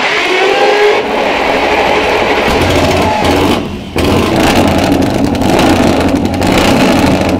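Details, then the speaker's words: Supercharged (Kompressor) Norton motorcycle on a restart; the drive belt is not running true. Uneven, lumpy running with irregular firing and surging that dips around four seconds. It seems to try to idle; owner suspects slightly too little fuel low down. Not confirmed. "ich hatte das Gefühl dass sie zumindestens versucht hat im Stand zu laufen das kann sein dass sie insgesamt untenrum noch ein ganz bisschen wenig Sprit Krieg"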